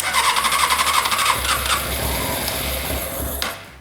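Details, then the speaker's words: 2006 Honda CBR600 F4i bought non-running: starter cranks in quick even chatter, about four beats a second, for over three seconds, never catches; cranks, won't fire; runs on starting fluid, so owner suspects no fuel from the injectors. "Now, unfortunately, the bike doesn't want to start. It sounds like it's trying to pump something into the bike and it's trying to fire, which is really nice. Before, it actually didn't sound like that."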